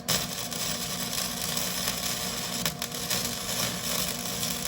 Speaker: you want to get that thing popping and cooking like you see you hear how it sounds like you're frying bacon yeah that's what it's supposed to sound like